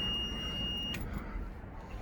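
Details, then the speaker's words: Country Coach motorhome with a Detroit Diesel 6V92: a steady high electronic tone holds about a second over road rumble, then cuts out; the overheat alarm keeps sounding while temperatures look good, possibly false. "that freaking alarm has been going off for about 20 miles but my temperatures look good"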